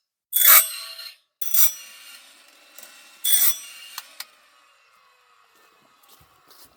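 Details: Woodland Mills RS30 Pro sawmill bandsaw blade sharpener run at high speed: short bright grinding rasps every second or so with quiet ratcheting between, clean and consistent; sharpening normally.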